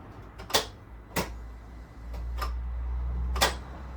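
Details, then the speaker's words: Citroen DS3 after engine swap, first start attempt with fresh oil: a handful of sharp uneven clicks, no cranking; owner blames a dead battery, later suspects mixed-up wires. "Dead battery. We'll be right back."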